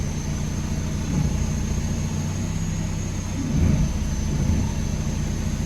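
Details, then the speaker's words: 2005 VW Jetta TDI 1.9 L, 09A 5-speed automatic, after replacing the N90 solenoid and servicing the transmission: steady low idle with a soft thump into reverse, no slip or flare; reverse, previously missing, now engages cleanly. "we now have a working transmission so we had no reverse we had forward gears but no reverse"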